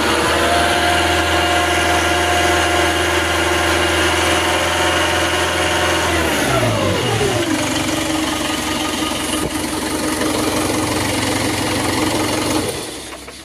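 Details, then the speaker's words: Quanchai engine that stalled from alternator overcharging (15–16 V, faulty voltage regulator), after alternator replacement and codes cleared: holds steady high rpm, then drops cleanly to a smooth idle with no stumble; problem solved. "So no codes and problem has been solved the main issue is the alternator"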